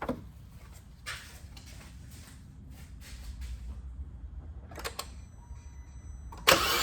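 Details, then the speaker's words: 2019 Kia Rio four-cylinder with codes P0302 and P0303, flashing check-engine light and power loss, cranking during a compression test: loose, uneven rhythm with no firing. Cylinders 2 and 3 read zero compression. "Zero. No good, no good. And that was one of the cylinders we had a fault code for. Next, we're gonna check number 3. Same. 0 compression."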